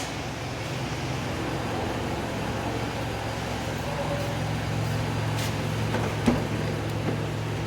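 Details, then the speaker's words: 2012 Toyota Camry after repairing the cylinder 3 and 4 misfire, running about an hour: smooth, even low hum at idle with no misses or knocks; idling cleanly. "अब आप देख सकते हैं कि इतने smooth खड़ी हुई है गाड़ी की"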